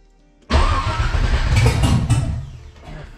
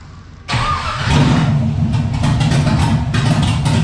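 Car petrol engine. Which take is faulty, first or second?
first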